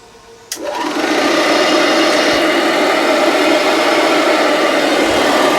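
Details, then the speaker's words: Singer R-3 vacuum, about 1936, run on low outdoors after brush roll inspection: motor spins up to a steady whirring drone with light rapid flutter from the brush roll; normal running. "I mean, there's noise from the brush roll, but there's not,"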